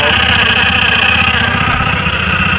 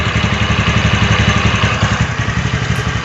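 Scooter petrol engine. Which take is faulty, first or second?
first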